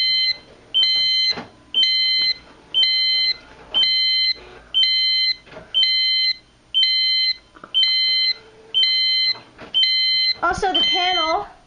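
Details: Silent Knight 5230 annunciator on Zone 3 with pre-alarm programmed: the pre-alarm was not reset in time, so the panel goes into full alarm with loud, steady three-tone beeps repeating once a second.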